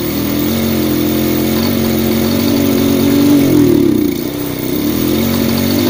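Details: Yamaha Vega R fitted with a Vega ZR CDI, wired to the white wire from the spool: single-cylinder engine runs steady and even, a short throttle blip dips and recovers cleanly; firing properly.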